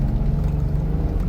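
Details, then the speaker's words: 2005 BMW X5 3.0i after fitting new genuine BMW coil packs, previously cylinder 3 misfire and lean codes: deep even drone climbing uphill, no stumble, skip or surge, no check engine light. Normal running under load. "So, we go under the hood and it's running smooth. All these are new coil packs from BMW, not aftermarket."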